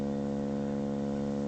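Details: Pye TRS-2000 AM/FM radio before the mod, AM signal near 650 kHz modulated just over 50% with 70 Hz audio: a rough, buzzy, raspy hum instead of a clean tone; bass distortion from a 10uF AGC capacitor, reduced by fitting 22uF.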